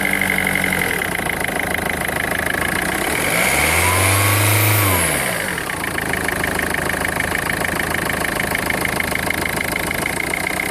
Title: Strange engine noise Peugeot 1.4 HDI 2004